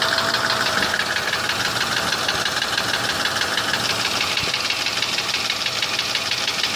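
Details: Mercedes W163 ML320 at idle: a dull tapping about three per second under the engine hiss, an engine knock that began after an oil change; cause unclear.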